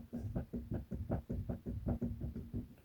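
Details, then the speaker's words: Mini R53, car raised on a jack stand, wheel rocked: dull clunks about three a second from looseness felt through the boot at the inner tie rod, not the outer, matching the boom over bumps while driving; the inner is replaced with a Lemförder part. "And I can feel it through the boot on the tie ride. It's not on the outer, it's on the inner."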